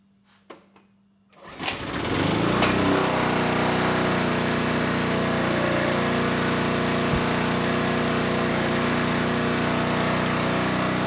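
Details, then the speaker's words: Generac G1000 750 W portable generator, no history, started first pull; steady even buzz with no hunting or misses, 132 volts at 60.5 Hz; normal running, though the carburetor remains an issue. "what can I say started first pull and the voltage was pretty good we're at 132 volts and 60 and a half Hertz so yeah we definitely have a viable generator here"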